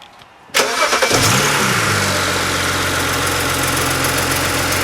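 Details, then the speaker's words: BMW E90 335xi after cylinder 1 misfire (P0301), spark plug change and swapping coils 1 and 2: short crank, instant catch and flare, then smooth even idle with no stumble; no fault codes now; normal start and idle. "I just checked my app. No fault codes now."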